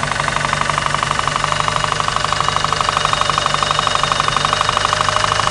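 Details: '93 Eagle Talon turbo, stock 4G63 7-bolt engine, idling with a steady, sharp knock; confirmed spun/worn connecting rod bearing, with play found between rod and crankshaft after removing the oil pan; piston play shown by screwdriver test.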